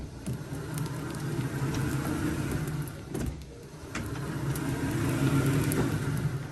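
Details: StairMaster StepMill (916/7000PT type) after chain realignment and tensioning to cure skipping, clunking steps, turned by foot unpowered with no weight: even whirring that swells and eases gently, no clunks or skips.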